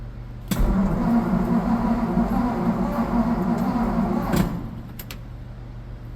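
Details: 1963 Ford F100 after Marvel Mystery Oil poured down the valves and new valve cover gaskets, first crank attempt: even, quick cranking about four seconds without catching or firing; owner suspects no spark; cranks but no start.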